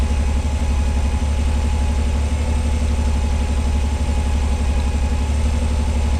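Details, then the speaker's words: 1986 Pontiac Fiero SE V6, automatic, with a known high-idle problem, just started and cold: a quick, steady idle at about 1,220 rpm, slowly coming down as it warms. It otherwise runs well. "She's idling at 1,220 RPM. And it sounds like it. So, we're going to let her warm up. Looks like she's slowly starting to come down."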